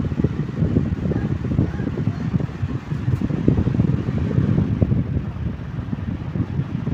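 A table fan runs steadily with a low rushing airflow and no knocking, rattling or scraping from the shaft.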